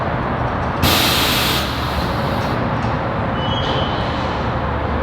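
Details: Tesla Model 3 with Universal Air Solution Series 2 struts and Accuair Endo VT E-Level management, ride height changed via remote: short, sharp hiss of air venting under a second, then steady background; air suspension valves working normally.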